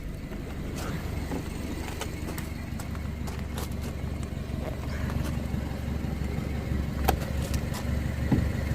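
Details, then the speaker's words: 2008 BMW 1-Series 116i, 1.6 petrol, rough idle and apparent misfire with ECU code 29D0: low uneven chuffing and puffing over steady idle from a split in the exhaust just after the flexi pipe, fumes felt by hand; exhaust leak. "okay don't know how good you could see that there is definitely a split in the exhaust right there I can put my hand I can feel the the fumes coming through"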